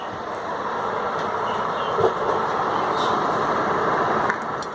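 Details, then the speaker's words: Manufactured-home bathroom exhaust fan running after motor replacement (new motor on bracket, rewired after a wire arced): steady, even airy whoosh with no knocks, rattles or arcing crackle; normal running. "You can hear the fan is working. You gotta check all my tools? Okay. Alright. This old jokey piece of junk is working."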